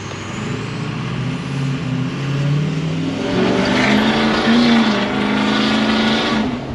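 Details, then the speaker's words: 6.0L Powerstroke diesel on a tow rig, after fixing a faulty EBP sensor. Driving off, a rising turbo whistle climbs with revs over a deep diesel rumble, with more power. Turbo spooling normally, healthy. "Now this is on our tow boss, so I expect it to whistle pretty good."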